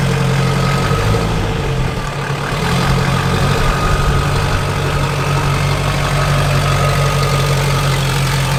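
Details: Junkyard LB7 Duramax diesel, 160K miles, first start in a bare frame-and-cab truck: steady even clatter at idle with a deep constant drone, no knocks or misses; healthy, runs beautifully.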